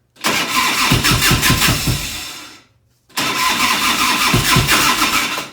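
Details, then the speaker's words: 1990 Harley-Davidson FLHTC Evo, cold start on choke: fires and revs in lumpy, ragged bursts and drops away, running on the rear cylinder only; front has good spark, owner suspects carburetor/intake problem or accelerator pump. "I pull the choke on and it started up it would chug chug chug chug and just start there an idle beautifully nice and quiet smooth but on one cylinder"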